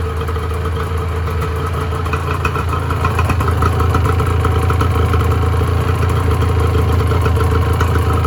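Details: 1986 Honda NS400R 400cc two-stroke triple, started after 11 months: steady, even idle with a crisp burble, light popping from the pipes and revs holding level; running healthy.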